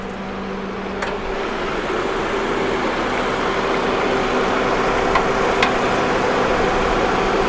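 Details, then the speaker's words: Salvage auction car checked at Copart, cold AC running, slight blow-by noted, golden oil; steady quiet idle with even low hum, no knocks or misses; running smooth, normal idle. "It's running well. It's quiet. Shifted right into gear."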